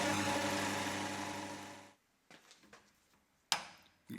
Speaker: He's now milling on something which is not supported. And you can hear it chattering.